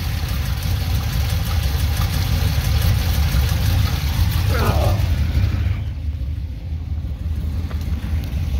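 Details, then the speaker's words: Truck with automatic transmission at idle, heard beneath between engine and transmission; deep rumble with faint uneven chirping tick, sounds loose; owner suspects cracked flex plate, not confirmed. "sounds like i cracked my flywheel like i said well technically it's not a flywheel this is an automatic it's a flex plate so it sounds like i cracked my flex plate"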